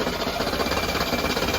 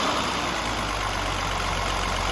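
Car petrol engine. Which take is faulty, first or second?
first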